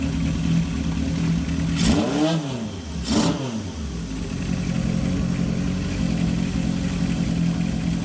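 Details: 1978 Kawasaki KZ650 C, revived after at least 5 years not running. Carbs synchronised to within about a quarter inch, air cleaners not yet fitted. Four-cylinder idles evenly and two throttle blips rise and fall cleanly: normal revving.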